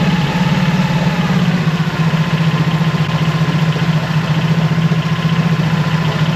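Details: Mercury 25 hp four-stroke EFI outboard after replacing the idle air control solenoid and other parts, warming up: low uneven idle sagging now and then as if to stall; problem persists, cause still unknown.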